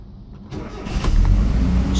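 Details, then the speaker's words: Cold engine on a Weber 32/36 carburetor with electric choke, in neutral, fast idle on the first cam stage set to about 2000 rpm: brief crank, catches within a second and climbs to a steady raised idle. Normal cold start fast idle. "I'm gonna crank it and it's gonna shoot up to about 2,000 rpm and it doesn't need to stay there long just needs to stay there for 10 seconds or so"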